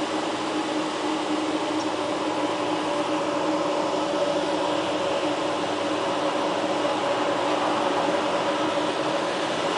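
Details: Clear Channel digital billboard in Kent, Washington, about 30 ft high, around 60°F outside; recorded walking in from 150 ft toward it. Its cooling fan gives a steady airy hum with a constant mid tone, no pulsing or scraping, running normally.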